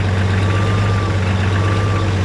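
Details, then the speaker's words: 1969 Oliver 1650 backhoe diesel after replacing torn-diaphragm fuel pump (diesel diluting oil) with electric pump, idling about 1000 rpm just past 40 minutes: steady even low rumble, no knocks or misses; normal idle. "okay we are just past the 40 minute mark of idling here we got it at about a thousand rpm"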